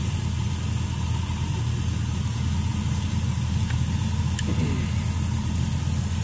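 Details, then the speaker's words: 1967 Chevrolet Bel Air with LS V8 swap, just fitted with new plugs and wires: deep, even idle rumble with no misses or knocks, a little louder than before; normal idle. "right seems to be running okay might notice it's a little louder than the last time I had it on camera"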